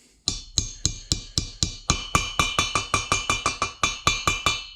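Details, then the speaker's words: 2012 Ram 1500 Hemi cylinder head rebuild, tapping a valve stem seal on with a socket: steady taps about three a second change from a dull metallic thud to a high-pitched metallic ping, showing the seal is seated. "Okay, so hopefully you heard the difference in that sound there. So when you hit that kind of that high-pitched metallic ping, that lets you know you've got that seal in place."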